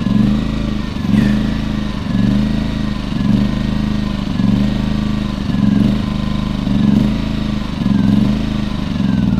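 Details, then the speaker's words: Champion 2000 W 73536i generator with about 16–24 hours of use, before carburetor cleaning. Engine speed hunts up and down about once a second at idle, never settling; surging idle, likely from a plugged idle jet. "at start when it was running in idle it would just surge and not run right"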